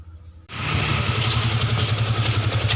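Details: Yamaha Vixion motorcycle engine with a harsh, gritty rattle when the throttle is opened, even after new valve adjuster screws and tightened valve clearance; camshaft bearing, timing chain and tensioner checked fine; attributed to conrod and piston.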